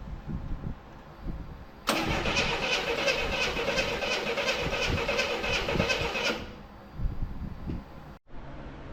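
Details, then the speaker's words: 1984 Chevrolet C10 pickup, inline six, 84k miles, parked since 1993: steady cranking, never catches, even with a used coil; distributor later replaced whole. "So, I replaced everything, the coil, the the everything but the cap basically. And even though I'm getting power, nothing's working."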